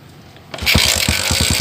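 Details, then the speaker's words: Jialing 85cc motorcycle after loose clutch nut fixed, previously noisy at clutch: starts on first kick and idles smoothly, even steady putter about seven beats a second, no knock or rattle, with clutch pulled or released. "hidup ya langsung hidup dan bunyinya langsung halus kita tekan kopling kita lepas pun jadi seperti itu ya"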